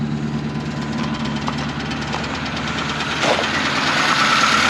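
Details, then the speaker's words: 1953 Pontiac straight-eight, first run since 1971: steady running with a scraping tick about three per second at the engine front; rubbing, suspected junk behind the pulley or inside, or possibly the generator. "Why is it rubbing? I'm telling you, it must just be junk down in, maybe behind the pulley down there or something. Maybe there's junk back in the inside of it."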